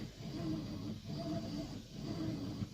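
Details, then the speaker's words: 3-year-old Whirlpool Cabrio high-efficiency washer, full load of mostly jeans and a couple towels, normal cycle, warm, high spin; soft swishing surges about once a second over a low quiet hum; normal agitation. "alright and it is agitating right now it's nice and quiet it's one of the really cool things about these high efficiency washers so they're nice and quiet and they get your clothes really clean"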